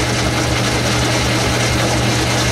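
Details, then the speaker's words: Logan 10-inch lathe with a modified 12-inch gearbox, threading 2.5-inch blower studs from 3/4 hex bar under cut: steady low motor drone that sounds laboured; owner blames the drive belt, likely slipping, and plans to replace it. "drugging a little at least because of that belt I'll fix that"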